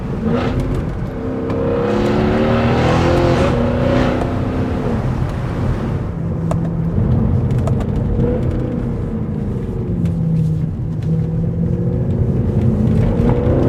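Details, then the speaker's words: 2012 Mercedes-Benz C63 AMG (W204, M156 V8), fluid fully warm after a drive, after replacing the power-steering reservoir (internal filter known to clog) and flushing. The earlier whirring whine seems to be gone. A steady V8 drone and rising revs on the road are heard, with no whine; steering pump is normal. "Right, so I just got back from the drive and I put the car through its paces to make sure the fluid has certainly got to temperature and everything, and as you can hear, I think that whirring noise has thankfully disappeared."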